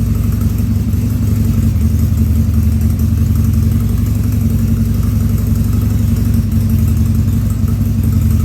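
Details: 2000 Harley-Davidson 1200 Sportster V-twin on its first start after a carb rebuild and leak fixes, air cleaner removed: an uneven, loping idle with occasional stumbles and small coughs from a slightly lean mixture.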